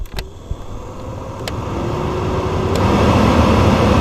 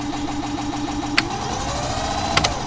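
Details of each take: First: VW Gol G3 cabin blower fan running after a loose white plastic piece causing the noise was removed: steady, even rush of air with no ticking, rattling or scraping; normal operation. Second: VW Gol G3 blower fan: steady hum with a light, uneven rattle and sharp clicks, caused by a small white piece of plastic caught in the fan.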